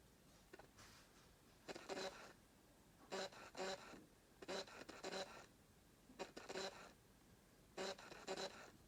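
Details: Fujifilm XF 16mm f/1.4 lens autofocus motor buzzing loudly in repeated double bursts while hunting through its focus range on a no-contrast area; the owner is unsure whether this is normal or a defect.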